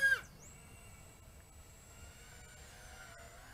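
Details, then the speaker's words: Skyzone S140 140 mm brushless FPV racing drone on a 3S battery during a punch-out: thin, high squeal holding steady after a brief throttle burst; motors squeak, thought to be because they are very tight. "yeah I can hear kind of a squeaking noise coming out of the motors yeah you can hear that squeaking noise yeah the motors are so tight that is squeaks"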